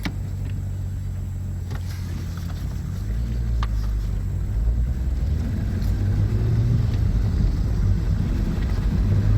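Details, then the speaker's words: VR6 Golf test drive after repairing a drivetrain failure (clunking and loss of drive on a 4th-to-5th shift) by finding loose bolts on one side: steady engine and road rumble pulling away, no clunks, the noise is gone. "Let's see if we fixed it. The noise is gone. So we shimmy around the road. We can drive now."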